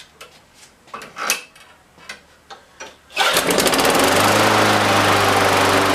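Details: Craftsman small engine that wouldn't start and lacked a muffler, after gasket/muffler refit and cleaning: several cord pulls, then catches and holds a steady even high-speed buzz; running fine.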